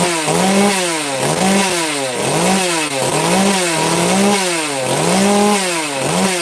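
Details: FarmMac F380 or F660 (Stihl 066 clone) two-stroke chainsaw, started on full choke, revving up and down about once a second, each rise clean and quick with no stumble; sounds a little better than before, smoky, running normally.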